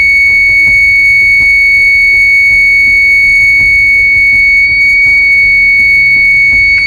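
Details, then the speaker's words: 12 V outdoor motion-sensor alarm siren, second tone wiring (two positive leads, one negative): loud steady high-pitched tone held unbroken for seven seconds; solid-tone mode working normally. "okay that sounds pretty solid sound pretty solid"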